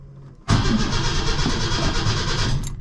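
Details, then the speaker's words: 1974 Holden LH Torana, stored about 10 years. Carburettor cold start with a couple of pedal pumps and choke: short crank, then a rough, lumpy idle running rich on choke. "oh yeah the old carbine there's like a a couple of pumps and a bit of choke [Music] yep too much juice let that warm up for a minute and then you can turn the choke off"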